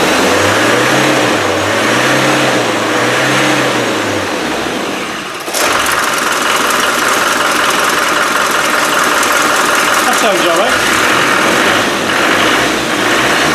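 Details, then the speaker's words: Rebuilt Land Rover 300Tdi diesel, first start after a fuel pump fault was fixed and the fuel pipes refitted: cranks with a rising and falling whirr, then fires and runs evenly, pulling cleanly through quick revs; healthy. "now it should start uh it'll take a bit of cranking over to get the fuel into the pipes but with a bit of look it'll fire"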